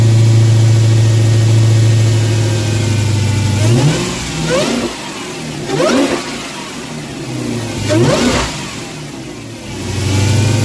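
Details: Dodge Hellcat supercharged V8 after installing a K&N drop-in air filter in place of stock. Steady idle, then three sharp revs with a high whine climbing and falling with engine speed: normal supercharger whine.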